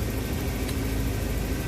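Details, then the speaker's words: Van engine just after a day of repair work: steady, even low rumble with no knocks, misses or ticks; motor runs smooth, normal healthy idle. "ready sounds good everything looks good I believe we did a good job man I know I'm filthy Oh Motors run smooth sounds good"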